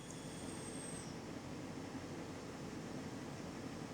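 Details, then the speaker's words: Cheap Range Rover air suspension compressor after a £5 repair and reconnecting its electrical connector and air line, car raised on the ramp, no dash warning: steady even electric drone with faint whistle; raises and lowers fine, normal. "I can hear the compressor actually doing things."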